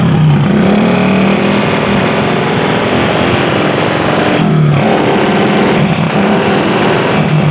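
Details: Honda Supra motorcycle with an open-pipe exhaust: loud, harsh, uneven running with a rough clatter under the exhaust; the oil pump was not delivering oil. Scored piston from oil starvation.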